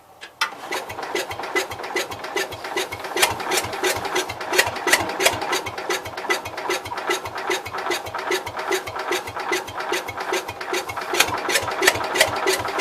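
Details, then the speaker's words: Cub Cadet 122 garden tractor revival, hot starter: engine cranks at about 2.5 beats per second without catching; owner thinks spark was lost, also suspects leaking valves or electrical fault, possibly burnt mouse nest; unconfirmed. "Let's just see if you can hear it run a second. So it's trying. It tried. Alright. I think we lost spark."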